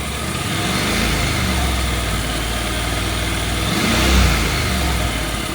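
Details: Honda NC750X twin after cam chain tensioner replacement settles into a steady idle and picks up cleanly on a throttle blip, with no chain rattle or tapping.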